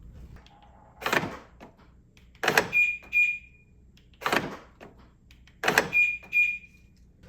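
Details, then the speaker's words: BMW 750Li driver's door lock actuator after reconnecting the harness, door closed: four crisp lock clunks about every 1.5 seconds, each followed by short chirps; actuator throws cleanly, repair works. "So carefully, I'm going to close this. And now this goes up and down."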